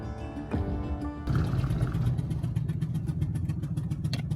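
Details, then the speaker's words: Ford motorhome driving on highway: rapid sharp puffing tick keeping pace with engine speed, same sound as earlier Atlanta breakdown; brand-new spark plug blown out of the head, engine under warranty. "Sounds like a spark plug. Yep, brand new spark plugs. That's exactly what it is."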